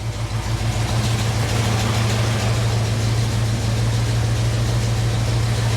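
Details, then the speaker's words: Jeep CJ-7 AMC 304 V8 with a Summit 8600 mild performance cam, idling after a spring service with good oil pressure; a deep, steady lopey V8 burble with no pinging or knocking. Normal idle. "So that Summit model 8600 mild performance cam they put in this motor, it's pretty sweet. It's got a really nice lope to it."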